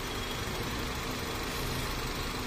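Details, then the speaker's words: 2000 Honda City Type Z with check engine light on, which stalls with the aircon on; throttle body recently cleaned. Before adjustment it idles very low, a labored, uneven rumble barely holding on; idle is too low. "Magwa-warning na. Mababa na talaga o. Oo. Mababa."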